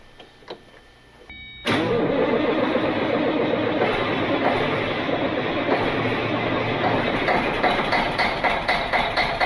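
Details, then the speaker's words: Caterpillar 3406C diesel in Cat 16H grader abandoned about a decade, drivetrain and hydraulics disconnected, fuel pump primed, no ether: catches at once and settles into steady, even run, no knocks or misses; over 80 psi oil pressure; healthy start and idle. "all right that sounds really good"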